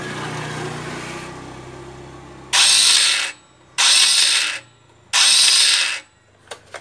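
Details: Honda Beat scooter electric starter, before disassembly: three short high-pitched whirring bursts, engine never catches; starter spins free, pinion gear not engaging.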